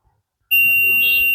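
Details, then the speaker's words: Very old Stranger PBT-1500 amplifier with a shorting problem: a multimeter continuity check gives a single steady high beep, and a reading that appears then disappears means no short here. A transistor elsewhere, believed to be a 1943, was found fully shorted. "और भले ही आपको यह दिखाई दे और फिर गायब हो जाए, इसका मतलब है कि यहां कोई शॉर्ट सर्किट नहीं है।"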